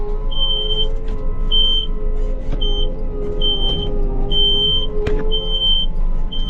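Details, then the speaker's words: Ranch machine with a diesel idling: steady high beep about once a second. This is the low-hydraulic-fluid warning for the transmission, which is low on fluid. "When you get this much too low on your hydraulic fluid in your transmission, then that's what happens. Like when we're tipping right now, it's literally right on the verge of beeping."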